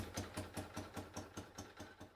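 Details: Citroën 2CV twin at idle after refitting the damaged, holed exhaust manifold: steady chuffing idle, about five even pulses a second, with a raspy exhaust edge from the manifold leak.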